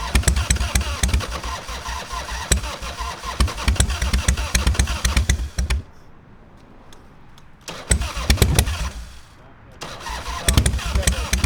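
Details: Harley-Davidson Fat Boy Evo 1340 V-twin after winter storage, carburetor cleaned, cranked on jumper cables: uneven starter chugging with sputters and pauses, never catching; long hard start, suspected flooded.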